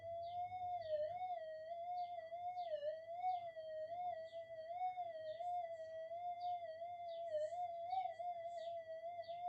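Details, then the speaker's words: Minelab GPX 5000 metal detector after power-supply rework to cut supply-rail ripple, in enhance mode testing a 0.05 target: high threshold hum drifting and wobbling irregularly; electrical interference is swamping the faint target signal. "I'm losing it in the noise there. Oh, it's back. I can still get it up there, but the electrical interference is starting to really affect it."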